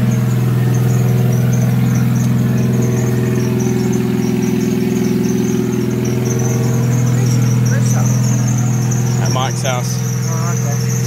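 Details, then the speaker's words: Nissan Silvia S13 SR20DET just rebuilt and reinstalled, cold with water temp 15° so not revved: loud steady low idle with a thin high wavering alternator squeak on top. "so my engine's at water temps 15° so can't rev it at yet and my nice squeaky alternator"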